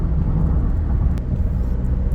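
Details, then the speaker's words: Ford Ranger diesel, 300,000+ km, road test after injector repair, pulling off gently in 1st and 2nd gear: even, deep drone under load, no knocking or noise, good acceleration; runs smoothly. "ผ่านนะครับไม่มีเสียงแล้วก็อัตราเร่งดีนะครับ"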